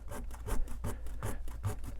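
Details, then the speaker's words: 2025 Coachmen Beyond camper van galley, drawers removed: repeated rasping rubbing squeaks, about three a second, from parts chafing under the drawers, heard while driving; owner plans to add cushioning to stop it. "I've got to put something around this to cushion it and stop the squeaking it's really bothersome"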